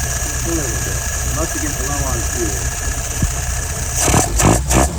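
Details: Restored, tested and adjusted YF 938SD carburetor on a 1969 engine: steady even idle with smooth low beat, then clean throttle blips that settle; float needs resetting; normal idle.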